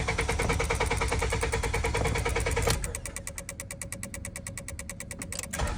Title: Honda Accord 2008-12 Cranks But Does Not Want to Start, Even with Starting Fluid HELP* Ticking Relay